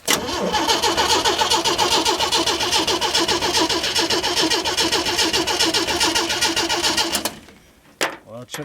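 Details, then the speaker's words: 1937 Chevy 250 six-cylinder, unrun for unknown years, distributor and coil unhooked, cranked to build oil pressure (oil line crimped, no gauge): even starter cranking with steady compression beats for about seven seconds, never firing. Oil pressure then came up with clean oil. "I just want to open it up a little bit when I crank on it just to just make sure it's got oil pressure I don't have the distributor or the coil hooked up yet so I want to see what this does"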